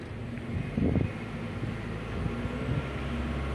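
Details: Car engine revving with an uneven, stumbling low beat, shaking and vibration; live data shows the misfire counter counting on cylinder 1. The owner suspects the ignition coil and plans to swap coils 1 and 2 to confirm.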